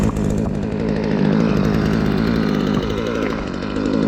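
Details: Mac 3200 chainsaw on its test run after a new muffler install, a clutch fix (removed excess spacers binding the drum) and a kill-switch repair: strong, even two-stroke howl holding steady revs with no stumble or misfire, running like new.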